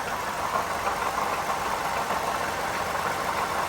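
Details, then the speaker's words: 2013 Toyota Sienna Limited at idle, hood open, before repair: steady gritty whirring rasp from worn water pump and idler pulley bearings, worsening over weeks; both replaced, along with the serpentine belt. "so it is the noise that uh telling us that the water pumper is blown out eventually so i'd rather replace it now before it breaks down"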